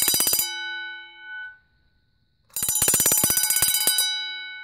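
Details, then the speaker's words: Vintage Vulcan Autosonic Mk. 30-A (VA-M-30FT) mechanical wind-up heat detector bell on test: loud fast metallic strikes, about two per second in bursts, ringing cleanly and evenly, set off by pushing the test button after it had been stuck pushed in; bell working normally. "but yeah this one goes off right when you push the test button now so let's try that again"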